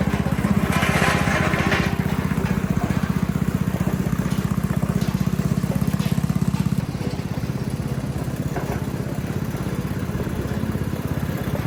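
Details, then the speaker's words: 8 hp Tecumseh single-cylinder on a pavement roller, running after its varnished carburetor was replaced with a new one; a steady, strong chug at about four beats a second, even under load with no misses. "I personally am very pleased with how well that runs."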